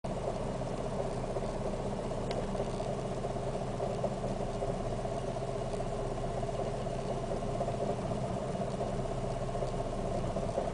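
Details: Fiat Siena 1.6 idling rough: steady low idle with an uneven, lumpy beat about twice a second underneath, noise carrying into the interior and a constant shake felt throughout idle.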